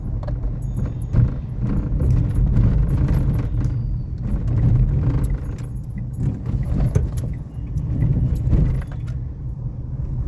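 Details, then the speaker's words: Renault Kiger driving on slightly rough road: over low road rumble, irregular tinny tak-tak rattling tracking bumps, coming from the dashboard; also worsens on revving. "नहीं यह पूरा का पूरा dashboard का आवाज है जो भी आपको कट कट कट कट आ रहा है"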